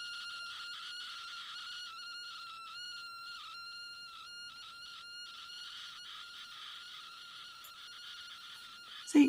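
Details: Continuity tester probing random breadboard pins via cleaned, known-good DuPont jumper cables: steady high beep repeatedly cuts out and returns in rapid gaps; intermittent breadboard contacts, explaining unreliable projects.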